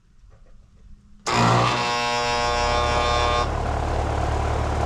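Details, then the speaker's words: Residential AC condenser with fan motor fine and capacitor weak but acceptable: the compressor gives a loud, harsh, steady buzz, locked rotor at about 90 A inrush (RLA 14, LRA 77). Hard start isn't worth trying; condenser to be replaced. "Nope. That sounds terrible. And I'm not going to try to put a hard start on it. Normally I would try it, but the sound that that thing's making um that's that's a waste of time."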